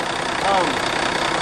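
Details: Ford F800 dump truck after the electrical fix, with the fuel shutoff solenoid rewired to the starter solenoid, following clicking no-start trouble: even, steady idle with no knocks, misses or stumbles; running smoothly.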